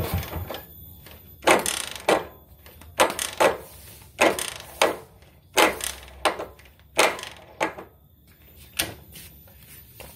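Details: Suzuki Shogun 110 kick starter: repeated sharp clacks and scraping rattle on hard kicks with no catch or firing. It slips when kicked fast but engages when kicked slowly, with an occasional rough noise; clutch cover to be opened.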